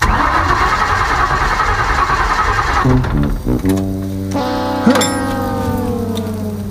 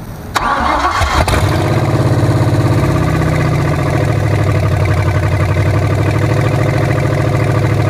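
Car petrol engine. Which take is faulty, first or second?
first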